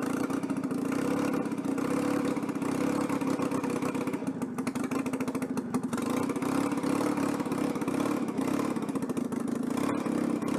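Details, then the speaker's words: Citroën 2CV on a quick test after fitting a centrifugal clutch, temporary ignition wiring: uneven stumbling firing beat never settling into steady idle; rough running from an intake air leak. "bon une fuite d'admission c'est pour ça que le moteur tourne très mal"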